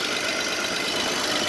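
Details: Mercedes-Benz W124 300CE-24 six while warming up, minor seal oil seepage: smooth, even idle with a steady light hiss and no knocks or ticks; normal, healthy running.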